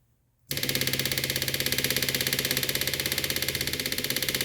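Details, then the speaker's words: 1976 BMW 2002 (Weber carbs, big cam, headers) fuel system rebuilt with custom tank holding about a gallon and new electric fuel pump: rapid, even ticking buzz, steady rhythm; pump running normally, checking for leaks, none found. "okay got everything tightened up so I'm just going to run the fuel pump and uh make sure that there's no leaks"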